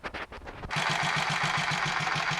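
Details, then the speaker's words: Royal Enfield 500 Machismo electric start running after cam gear backlash, pushrod and primary chain adjustment: less noise, but a quick regular clatter about six per second over idle remains, possibly from the clutch area; mechanical noise not yet found. "I've got the engine running again after uh all those checks and there certainly less noise but there's something still there that we need to find and deal"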